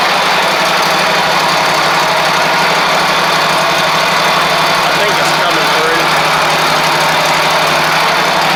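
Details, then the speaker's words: Ferris stand-on mower, Briggs OHV twin, after fixing a one-cylinder misfire: steady, even low hum with constant beat, no misses or stumbles; idles smoothly on both cylinders. "Maybe a little smoke just from where that cylinder has been kind of weak or not been burning off any fuel, but let's see."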